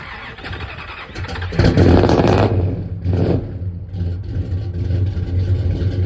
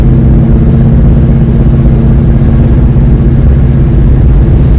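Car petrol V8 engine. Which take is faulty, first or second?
first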